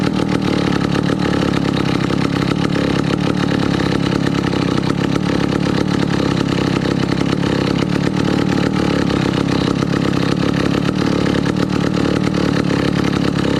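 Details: 1962 McCulloch 1-46 chainsaw, revived after lacking its carburetor and other parts: steady, even two-stroke buzz with no misses or surging throughout; runs cleanly and holds its speed.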